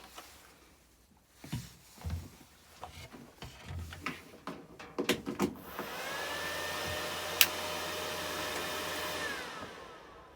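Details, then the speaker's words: ZX7-250 MMA IGBT DC inverter stick welder just plugged in: clicks and handling knocks, then the always-on, non-thermostatic cooling fan holds a smooth, even whoosh without rubbing; fan operating normally. "So as you can hear there, that's the fan what's running. It keeps it really cool, so that's a good thing. It doesn't turn off, it's not thermally controlled."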